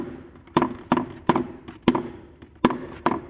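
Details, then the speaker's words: 2004 Fiat Palio rear suspension: hollow thuds about every third of a second, each a sharp hit dying away; rear shock bottoming out on a worn, crumbled bump stop. "então esse que trabalha né então vai vai deixar vai evitar de dar aquela batida de seca né amor meu amortecedor quando pega um buraco mais fundo e quanto bota mais peso vai coçar aqui em cima"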